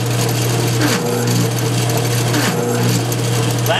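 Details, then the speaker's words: Failed bridge rectifier in a 1996-2009 GM alternator (CS-130D/AD-244) driven full blast on a bench tester: harsh, steady, horrible low growling from the alternator; fix is desoldering three leads and replacing the rectifier. "you're going to hear what a bad Bridge re fire sounds like you hear that growling sound you hear that horrible sound real growling"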